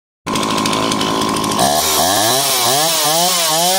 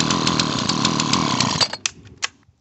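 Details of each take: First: Dolmar chainsaw, two-stroke, ZAMA C1Q carb rebuilt for flooding, adjusted to 2800 rpm idle with high and low speeds set: steady high buzz, revs climb and drop cleanly on blips; running well. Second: Dolmar chainsaw, two-stroke, ZAMA C1Q carb, air cleaner housing off: rough high-rev buzz for a second and a half, then weak pops and dies; carb meters too much fuel, back-flushing, flooding engine and wetting spark plug.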